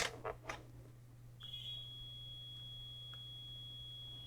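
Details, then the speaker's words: Fluke 8000A 3½-digit vintage DMM on the bench during repair: after a couple of clicks a thin, steady high-pitched screech near 3 kHz starts and holds unchanged, clearly something wrong inside; cause not stated. "yeah you hear that screeching sound 93 yeah there's definitely something there"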